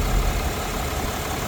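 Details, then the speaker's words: Truck just started after cooling system repair, with the radiator refilled and checked for leaks: low, even idle rumble with a steady beat and no knocks or misses. Normal idle. "All right, time to start it up and see if it leaks. Probably should have just auto started it, but so far so good."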